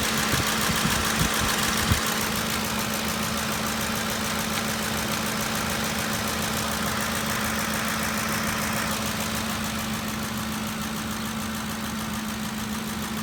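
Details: Ford 5.4L 3V V8 at idle with a light, quick tick, about three to four a second, over the hum. Top-end ticking, lifters suspected, not confirmed.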